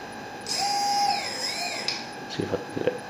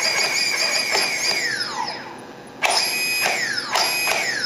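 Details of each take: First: Turnigy SK450 quadcopter motor on stock Multistar ESC firmware, throttle driven straight from the receiver: the whine sweeps, then at low throttle it intermittently clicks and stutters. Fix is reflashing the ESCs. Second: Turnigy SK450 quadcopter motor after reflashing its Multistar ESC: quick throttle blips, whine snaps up and winds down cleanly, crisp responsive motor, far quicker than stock ESC; slight transmitter-receiver lag audible.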